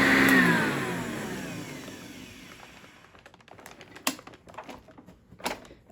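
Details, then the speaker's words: 1987 Eureka Sanitaire SC648-B upright vacuum, restored: loud rough whirring roar winding down after switch-off; mostly worn original brush roll, over 10 years old, plus some original motor bearing noise. "little bit of that might be some motor bearing noise too because again these are the original bearings that are in there um just greased up but still most of it's coming from the brush roller"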